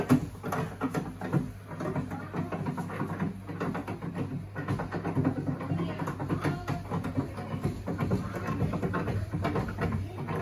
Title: Boiler knocking sound!